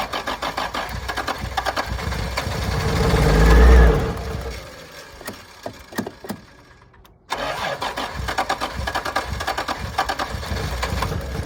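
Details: 1986 Toyota Supra, long-sitting, no fuel pump cycle heard: engine catches and climbs for a few seconds, sags and dies, then starter cranks again; won't hold idle, owner suspects failed fuel pump.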